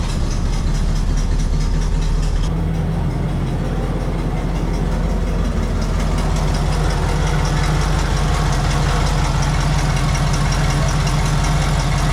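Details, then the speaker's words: 1968 Cadillac Coupe de Ville V8, sitting over five years, started on one crank and running without the charger: a deep, smooth, even idle burble with no ticking or stumbling. "oh look how nice that started right one crank simple"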